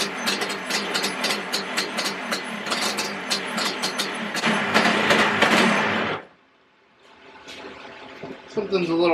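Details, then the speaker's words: Yamaha Banshee 350cc two-stroke twin, rebuild project, first proper startup without choke: raspy, popping, stuttering fast idle, running rough. Smoking from the front; owner suspects an exhaust leak. "I did see it was smoking from the front too so I know the height needs to set in a little bit they're not they're not where they're supposed to be at which might be um because it like technically has an exhaust leak so that might be why it's running a little weird too"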